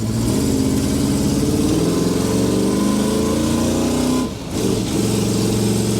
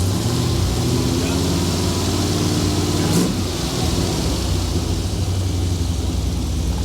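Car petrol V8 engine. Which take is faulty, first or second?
second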